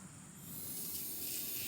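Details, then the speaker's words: Honda CA160 motorcycle, original fuel petcock in on position, tested by blowing through the hose: soft, steady breathy hiss of air passing straight through; it flows freely, so the tap is open as it should be. "I don't know if you can hear that, but I can blow right through there. Here it is in the reserve position. I can blow right through it."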